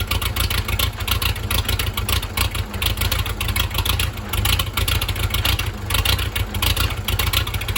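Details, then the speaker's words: 1963 Case 310F bulldozer diesel on a cold start with no starting fluid and the grid heater disconnected: loud, chuffing clatter settling to a fairly steady idle, a little smoky, no misses or knocks. Normal idle. "Little smokey. He's coming alive. What a treat. She runs good."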